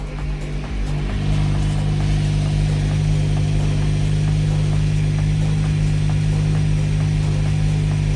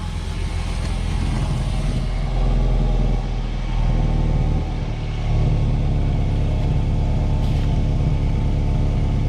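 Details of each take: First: 2010 Mazda 6 (GH) idling after an exhaust bolt and seal kit was fitted: steady petrol idle with a faint rapid puffing tick on the exhaust note; the exhaust leaks at the joint, and the bolts are thought to need tightening. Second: 2010 Mazda 6 GH idling during an exhaust bolt and seal kit replacement: low, steady rumble with no ticking or puffing at the checked joint, which sounds sealed, while a small leak is found at another joint.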